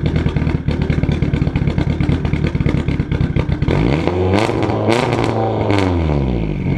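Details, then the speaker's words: Budget race car project at first startup, microphone at the exhaust, turbo recently installed with oil in the turbo; rough pulsing run, revs sweep up and fall with loud pops as they come down, idling around 3,000 rpm. Backfire and high idle, cause unconfirmed. "that's really loud it's insanely loud and po po pow that was when the RPMs were coming down too after I let off cuz that was idling at 3,000 and then that is not good"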